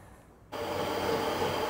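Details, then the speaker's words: Harrison 140 lathe after a spring-loaded belt tensioner was added and belts were tightened to about an inch of movement, case fitted: motor settles to an even, steady hum with no belt slapping or knocking. Normal running. "well that sounds reasonably quiet let's see how we get on"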